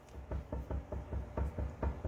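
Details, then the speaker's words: Honda Civic (SOHC turbo D16Z6 build), wheels off, tire wiggled by hand: sharp dull clunks, about eight in two seconds, first suspected wheel bearing but found a loose, untightened tie rod end. "Tie rod end isn't even tight. Oh, good grief."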